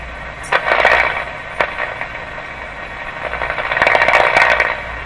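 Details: Philco 38-C7 tube radio after grounding the shells of two metal tubes: static bursts with squealing, warbling tones while sweeping the broadcast and shortwave dial. The spurious oscillation persists and may clear after alignment.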